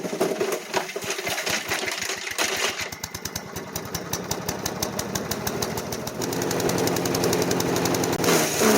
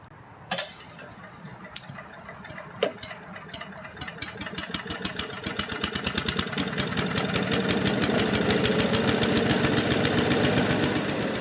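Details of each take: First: Craftsman chipper-shredder, 5hp Briggs & Stratton 133412-0059-01, after rebuild, chipping branches: rapid single-cylinder chug slows and labours under load with sluggish RPM recovery; bogging, owner suspects the never-changed clogged air filter. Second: Craftsman/MTD chipper-shredder, 5hp Briggs & Stratton 133412-0059-01, sat outdoors about 10 years, after new carburetor and recoil: a few pulls, then catches and settles into steady even beat, no ticking or knocking; normal running, brief smoke attributed to burning residue.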